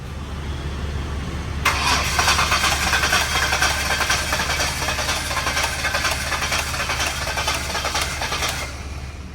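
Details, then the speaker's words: One-owner Ford Ranger, said to need an engine, cranks and catches, then runs lumpy and uneven with a loping, stumbling idle. Stubborn spark plugs and wires to be pulled next; cause not yet pinned down. "That's not the greatest. She's not sounding good, guys. That's not sounding good at all."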